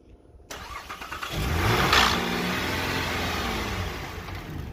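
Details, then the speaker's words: 2013 Chevrolet Trailblazer that cranks but won't start; after petrol is poured into the intake it cranks briefly, catches and revs, showing the fuel pump isn't delivering fuel. "इसका मतलब है कि fuel ही नहीं आ रहा गाड़ी में ईंधन अधिभार मतलब नहीं आ रहा"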